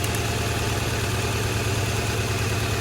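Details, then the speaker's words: Honda Accord with plugs swapped between cylinders to test: low lumpy idle with uneven pulse and recurring missed beat; first cylinder still dead after swap, so not the plugs; electrical fault suspected. "So now, this first cylinder should be a live cylinder. It's still not."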